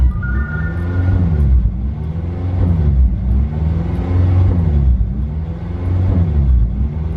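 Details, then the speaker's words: Honda EP3 Civic with code P1519 idle air control valve circuit malfunction; deep idle swells and sags roughly every 1.5 s while stationary, revs never settling, milder when driving; idle hunting from faulty IACV. "yeah this is what happens every time the car is at idle when I'm not moving when I'm actually driving it it doesn't seem to be that bad it kind of drives as normal but still kind of fluctuates between revs"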